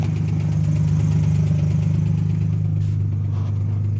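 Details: 2005 Ford Mustang petrol engine at idle: light quick ticking about three or four a second over low hum, harder when accelerating; exhaust leak or other cause suspected; engine ticking at idle.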